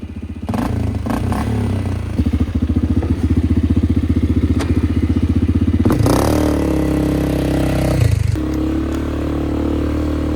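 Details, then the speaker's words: Flood-repaired 2001 Polaris Sportsman 500 HO on test ride under load with rigged, zip-tied aftermarket exhaust: loud rapid single-cylinder bark pulling steadily, terrain thumps; healthy engine, just noisy exhaust. "I will say, this is one loud Sportsman 500. I don't see too many Sportsman 500s with exhaust."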